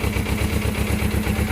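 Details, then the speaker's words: Suzuki GS500 idling: even steady low thump with regular firing pulses, previous noise gone, no rattle or clatter; normal idle. "acabou o barulho acabou o barulho ó ó oh caraca ó e ele não barulho lá aquele barulho que tinha"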